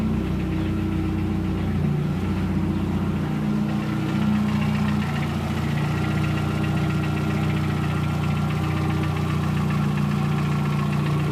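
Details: VW Gol 1.0 8v, 120k on odometer, 20W50 mineral oil, warm idle after ~10 minutes: loose irregular clacking, three to four a second, gone with a throttle touch; owner suspects piston pin/skirt, possible past overheating; engine knock at idle.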